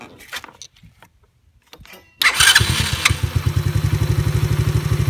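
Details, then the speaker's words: Chinese ATV carburetor during idle and air-fuel screw tuning: cranks and catches, then settles into an even putt-putt of about four beats a second; idles steadily, though later boggy on throttle. "So it's idling pretty good, but let's see what the throttle does."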